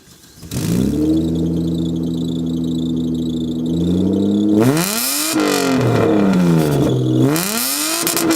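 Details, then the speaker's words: $200 budget car with exhaust cut behind the muffler: cold start then sharp revs through the loud open exhaust with a loud squeal riding over it; belt or pulley bearing squeak suspected, not confirmed. "so yeah obviously he can hear the belt or the pulley bearing squeaking it's not the nicest thing in the world"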